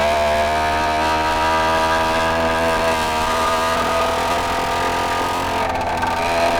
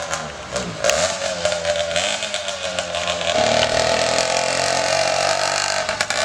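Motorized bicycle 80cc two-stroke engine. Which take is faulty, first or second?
first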